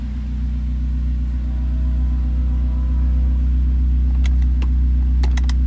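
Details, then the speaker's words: Honda S2000 with Flowmaster mufflers: smooth, low, steady idle hum with no stumbles and a few light clicks near the end; runs and drives well despite a clunk and rattle from worn sway bar end links and a rear ball joint. "I said runs and drives pretty good it needs a sway bar end links cuz a clunk and rattle then it needs like a rear ball joint the AC power steering everything works on this car [Music] I said it runs really really good"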